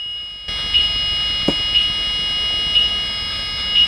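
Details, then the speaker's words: Blue Bird school bus with Allison transmission, newly fitted transmission control module not yet programmed: steady high-pitched dash buzzer pulsing about once a second. The check transmission light stays on; the buzzer sounds because the TCM is unprogrammed. "so the buzzing sound that you hear is because of the TCM that's not programmed yet because the check transmission light didn't go off"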